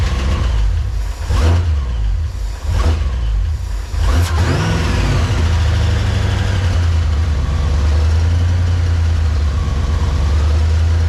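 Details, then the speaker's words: Supercharged GTO, first start after tuned ECU installed: cranks, catches, blips once, then settles into a deep, steady, lumpy, rowdy idle; runs healthy. "well it didn't blow up yeah it sounds pretty rowdy it sounds really good"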